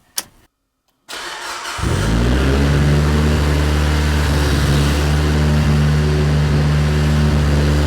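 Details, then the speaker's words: Mitsubishi Evo 8 with new motor, reassembled after fixing an oil leak: quick crank, catches cleanly and settles into a steady even idle with no misses, knocks or rattles; running very nice, no leaks, no smoke yet despite oil in intake manifold. "is running very, very nice. Nothing leaking yet."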